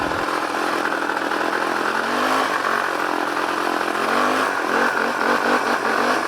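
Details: Yamaha Warrior 350 ATV with faulty safety rev limiters (parking brake sensor, possibly clutch switch): rough buzzy engine hanging at one low speed and not climbing when throttled, revs held back by the limiter.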